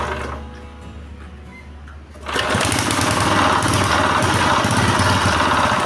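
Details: GX160/200-type petrol engine that would not start, running after carburetor cleaning and reassembly with the fuel tap open: it fires and holds a steady, even chatter at a deliberately raised idle so it won't stall under water-pump load, a normal fast idle.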